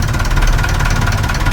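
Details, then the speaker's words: Perkins 4236 marine diesel in a sunk narrowboat, idling cold just after first startup; low even clatter with a steady beat, no misfire or knocks, still sweet. Normal idle. "Oh, that's still sweet, isn't it? Oh my god, I can't believe it."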